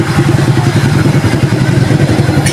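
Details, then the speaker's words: Suzuki Shooter 115 FI single-cylinder after engine overhaul (missing transmission washers, misaligned crankshaft, reversed pistons fixed), 12 V battery support: steady even idle, earlier internal noise gone, no ticking or scraping; healthy. "Yan boss ha, tahimik na yan. Wala na yung wala na yung may parang pabo sa loob. Walang lagitik, walang kaluskos. Back to standard ulit yung kanyang tunog."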